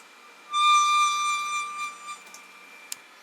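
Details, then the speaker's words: Creality Ender 5 Plus 3D printer: clear steady high squeal as the bed moves, mostly downward, from lead screw nut; grease, oil and new screws/nuts didn't help; Delrin POM TR8x4 nut stopped it; occasional M112 bed-level failures. "I've got some pretty bad squeaking on this reality Ender five plus and then I'll move it up and down"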